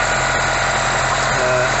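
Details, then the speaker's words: Ford Taunus (Cortina) estate with Weber 32/36 DGV carb, after sanding sticky auto-choke flap; choke engaged, steady smooth fast idle around 1,000–1,200 rpm, no misses, about to be raised slightly via screw. "okay so we've got the car started and the uh the choke choke is engaged as you can hear"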